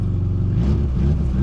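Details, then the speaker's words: 1999 VAZ 21099 with Akrapovic exhaust, new battery, at startup: deep, uneven burbling idle with puffing pulses in the low rumble; exhaust leak, owner plans to find and replace exhaust. "у неё ещё выхлоп акрапович стоит Поче она так заводится то Меня это напрягает"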